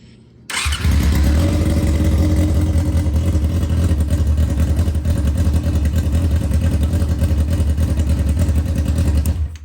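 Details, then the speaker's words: 1999 Yamaha R6 with its carburetors just synced bank to bank, air cleaner off: a steady, even four-cylinder idle with a smooth burble and no misses. It is running much better, a normal idle. "So now we got them all synced up. It's running a lot better."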